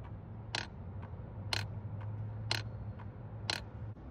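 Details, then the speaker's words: Volvo 240 engine off, ignition on, self-diagnostic box port 2 output test: after injectors fire, four crisp clicks about once a second as the idle air control valve opens and closes properly. "First the injector shall start firing and now you should hear the idle air control valve."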